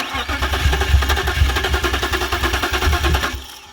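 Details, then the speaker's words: BMW 328i with suspected wiring issues: starter chugs evenly at about three and a half beats a second but the engine never fires, then cranking stops; it turned over and died, crank no start. "okay what'd it do it turned over it died"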